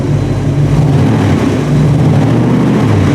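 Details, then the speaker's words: Patina '64 Ford stepside pickup after swap from tired 351 to fresh stock 302 (dyno'd about 253–258 hp, 308 lb-ft), exhaust heard from rear: steady even V8 rumble, no knocks or misses; temp 160, oil pressure 50 psi, charging fully; normal running. "That's it. This gentleman is good to go. Temperature sits at 160. Oil pressure 50 lb volts fully charging."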